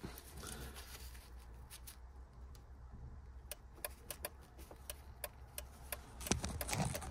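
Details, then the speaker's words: Nissan Micra during battery-drain diagnosis: feeding the yellow wire lights the right-hand indicator, with light sharp clicks about two per second. Indicator flasher and wiring work normally; the switch is suspected. "so if we go into this yellow wire you can hear the indicator comes on that's a right hand indicator"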